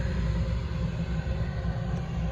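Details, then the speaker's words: Carrier gas package unit serving a dining room where smoke was reported from the ducts: the blower kicks on after burner warm-up and runs with a steady, even low roar, so the fan is not the problem. Loose insulation paper touching the burner was burning. "Part of the problem would be, there it goes. Okay, so that's not our problem."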